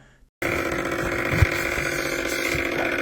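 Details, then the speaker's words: Whirlpool top-load washer at the start of the wash cycle with a steady buzzing whir and a dull knock; the shift actuator motor keeps engaging over and over but never snaps into position, and it very likely needs replacement. "That noise is coming from the shift actuator because it's not actually shifting. It's trying to, but it's failing. The internal motor keeps engaging over and over, but it never fully snaps into position."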